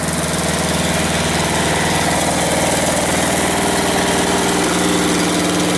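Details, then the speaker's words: Westwood T1200 garden tractor out of winter storage, started first time; steady even idle putter with no knocks, misses or hunting; small engine runs normally. "that's it just started first time just got a little bit you're very sweet little engine"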